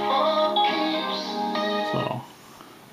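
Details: GE P-975D radio on AM after FM oscillator adjustment, phone charger behind the radio unplugged, tuned near 1330: station music and voice clear with no buzz, whine or crackle; reception restored.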